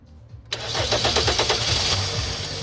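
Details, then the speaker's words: Steady cranking beats with no firing at all. The engine had cut off abruptly when it stalled, and there is no fuel pressure: crank no start from a failed in-tank fuel pump. "Yep. Fuel intank fuel pump is bad."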